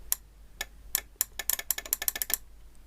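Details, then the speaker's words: Relay on an electric atta chakki (flour mill) circuit board tested by touching a 9V battery to the coil pins: a dozen or so crisp clicks in three seconds, relay switching cleanly and judged OK. "दूसरी वाली को check करेंगे, coil की 2 पिनों में हमने touch करना है तो स्विचिंग करने लग जाएगा। देखिए कट कट करता है। देखिए तो ये रिले भी हमारी ओके है।"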